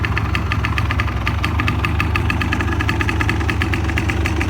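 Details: Fully restored 1985 Honda ATC250R two-stroke with the OEM exhaust and OEM baffle (stock sound), just started. A crisp, rapid ring-ding popping with an even beat and no misses or rattles. Normal stock two-stroke idle.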